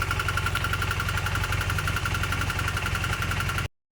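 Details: Honda CM400 motorcycle at steady idle with a dull, fairly even knock at roughly three to four per second over the exhaust; an internal engine knock.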